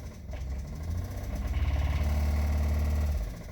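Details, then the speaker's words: Chevrolet Traverse with thicker oil and Lucas stabilizer added, reportedly jump-driven with a holed oil pan: rough idle with a steady low knock, about three or four raps a second, returning after revving. Engine knock. "just kidding it doesn't oh man that's awful i don't know how well that picks up but let's just say if you plan to use lucas to save your engine after it starts knocking probably ain't gonna happen"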